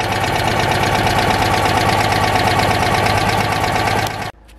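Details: Citroën 2CV twin during MOT preparation after rear brake repairs: loud, busy running with an uneven rapid clatter of about three beats a second, then a sudden cut; something is off, cause not identified.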